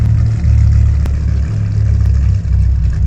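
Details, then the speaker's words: 1997 Dodge Viper GTS at full throttle on a test drive before a tune-up: deep, loud note with uneven, stumbling pulses. Raw fuel smell, shaking, lacks power. Misfire with poor throttle response. "that was full throttle and honestly he didn't respond like it should"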